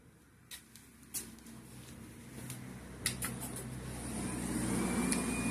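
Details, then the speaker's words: Garage door opener with trolley disengaged from the door bracket, wall button pressed: clicks, then a low motor hum runs steadily with no door movement; opener spins free until the trolley is re-engaged. "I'm going to disengage this and I want to press the wall button right there the motor is it's moving you can hear the motor but it won't close it's not doing any anything"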